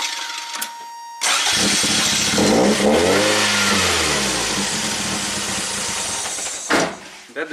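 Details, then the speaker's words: 1987 Toyota MR2, hot stalling complaint: cranks and catches, revs rise and sag for about five seconds, then dies; testing whether the air flow meter fuel pump switch opening cuts the fuel pump and causes the stall. "that switch opens we'll see high voltage here and we know the fuel pump cut out and that's why the car is stalling"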